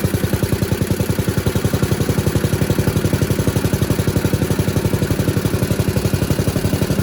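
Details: 1977 MTD 990 (badged Dayton, 16 hp) riding mower after electrical no-start repair, running while battery reads 13 V, up from 12, showing it charges: steady, even beat of about four pulses a second, no knocks or misses; normal.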